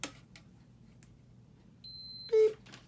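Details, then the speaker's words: Continuity test on a newly installed switch that glows orange: steady tester tone, brief silence, then a beep again; continuity on, off, on, so the switch is wired correctly. "No beep. Beep. Okay, so we got it right."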